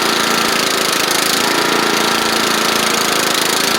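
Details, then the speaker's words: Troy Bilt Bronco riding mower, Kohler Courage single-carburetor engine, after replacing drive belts, spindle and deck work, run and driven back and forth: steady fast single-cylinder patter with faint mild surge; drives good; normal running. "I'll let y'all hear it run and we'll drive it a little bit drive it back and forth just a little bit to show you everything drives good on it"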